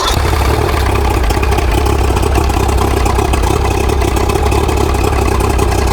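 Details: Mercury 90HP outboard, a trade-in take-off after a repower, started on choke then cranked without choke. Deep, steady idle with no misses or surging; neutral, forward and reverse all work; running fine.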